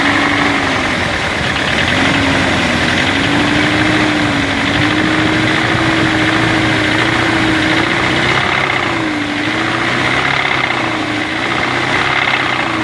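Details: BMW 318 E36 at a steady idle with an uneven tapping over it, roughly four knocks a second. Engine knock at idle, source not pinned down.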